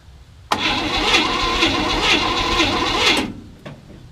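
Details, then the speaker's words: 1967 Chevy C10, 327 V8 with 11,200 miles, sat since 1985, dried-up fuel system: starter cranks steadily about three seconds, roughly two turns a second, no firing; cranking no-start, battery or timing suspected, owner thinks not enough fuel. "Do you think that's battery or timing? You know? I think it's just not got enough gas."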